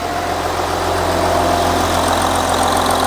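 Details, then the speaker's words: Audi Q7 3.0L diesel after replacing the cylinder 4 fuel injector (previous DTC P0272 cylinder 4 misfire, P0087 fuel rail pressure too low, rough shaking): smooth, even idle, no misfires, no codes present; fixed. "this engine sounds great can you tell the difference now no more Mis fires engine sounds good"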